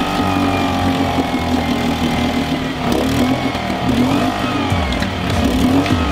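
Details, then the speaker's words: Suzuki 2.5 hp outboard after carburetor strip and clean: holds a steady, even idle only with the choke pulled out; a jet or internal carburetor setting is suspected knocked out, so it runs over-rich. Cause unconfirmed. "It is running now because I am running it with the choke out. That's right. This motor, unlike anything I have ever known, runs when the choke is out. And it runs well."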